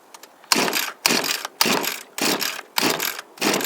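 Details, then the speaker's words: Echo SRM230 two-stroke string trimmer, hard to start and last time starting but not running properly: six rasping pull-cord strokes about every half second, faint coughs between them, never catching; cause not confirmed. "guys really hates these things one of our Trail guys really hates these things because they're very hard for him to start and I'm having the same trouble today"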